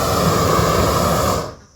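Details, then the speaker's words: New propane weed torch on a tank, valve opened to full flow: steady even roaring hiss of a good flame, then dies away cleanly as the valve shuts; torch burning normally. "Then we give it, you know, a little bit. You can hear it hissing. Boom. Got a good flame. Turn this up some more. So, it has good flow."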